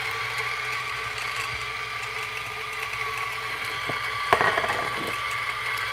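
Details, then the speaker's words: Coffee grinder: even motor whine with a light, steady grinding rattle holding its pitch; sounds like a normal separate grinder, healthy. "so this is like you know if you buy separate grinder sounds something like this"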